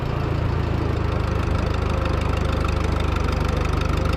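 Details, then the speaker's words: Oliver Super 44 tractor after sitting almost a year, good plugs, owner suspected a sticky valve and sticking distributor advance: under brake load it fires evenly, all four cylinders pulling with no misses; normal running under load. "sounds like a four cylinder again"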